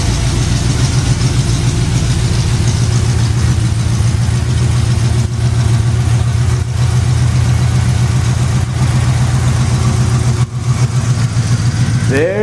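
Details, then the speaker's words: Jeep running cold: strong, steady low rumble with even firing and a brief rev blip, no exhaust puffing or rattles; engine sounds healthy. "goes [Music] Church sounds a lot better"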